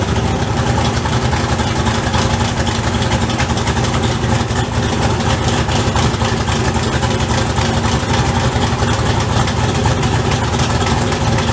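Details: LS V8 on first start after turbo install, idling: rapid, loose puffing tick over a deep rumble, an exhaust leak near the turbo manifold.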